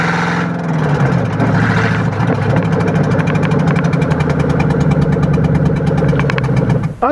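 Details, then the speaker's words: Ford Crown Victoria without a downpipe: fast, even ticking puff over the idle, like a manifold leak or misfire; no fuel smell, abnormal engine noise, cause still unknown. "it sound almost sounds like a manifold leak but there is no down pipe on it so it shouldn't sound like that if you understand what I'm saying"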